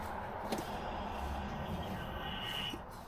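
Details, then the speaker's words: 2017 Piaggio Fly 150 3V ie scooter, ignition switched on after the fuel pump and fuel line were refitted: a brief faint high whir as the fuel pump primes normally. "And it's priming, so it's working fine."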